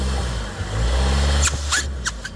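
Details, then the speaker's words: 2014 Ford Escape 1.6 EcoBoost, hard throttle while driving: engine revs under load, then short airy hissing spurts as boost builds; turbo charge pipe leaking, found at bottom hose elbow, car lacking boost and low-end torque. "yeah that's it okay what is up driving the Ford Escape which has now been the daughter's car for a year and I'm pretty sure the charge pipe is leaking I can hear it off the brick walls"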